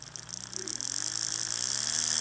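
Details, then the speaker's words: AHM GP18 model locomotive motor on bench power pack: small whine rising with speed plus fine rapid buzzing rattle; slight vibration in flywheel collars and motor, unsure whether age or fault. "there's a small vibration if you can see it there's a small vibration in the uh flywheel collars here and there's a little bit of a vibration in the motor"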